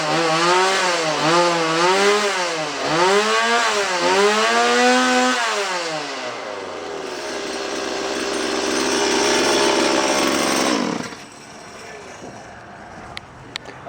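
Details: Chainsaw after cleaning to cure a bog, run with bar and chain removed, choke off: engine snaps up and down through the revs about once a second with clean pickup and no stumble or bog; running strong.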